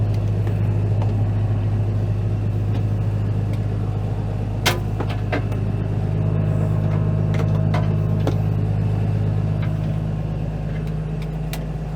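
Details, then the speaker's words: Late-1980s Dresser TD-25G bulldozer with a KT Cummins diesel, just jump-started with jump packs, idling. A deep, steady rumble at an even idle with no knocks, misses or hunting; the engine is healthy, while the transmission lacks reverse. "buddy she sounds [Music] good"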